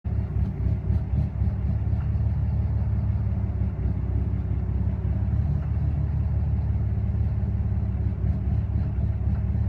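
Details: 2013 Ram 6.7 Cummins diesel, fully deleted, EFI, FCA replaced without help, runs fine at open throttle: deep uneven idle rumble with loose surges and dull knocks, burps returning to idle; cause unknown.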